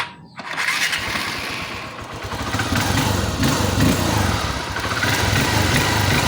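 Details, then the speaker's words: Honda XR150 after clutch body and balancer damper replacement: engine catches and revs cleanly through sharp throttle blips, earlier clatter gone; normal revving. "So dito goods na. So accelerate natin. Bigayan natin. Wala na yung kalampag niya kapag biglain natin yung kanyang turottle."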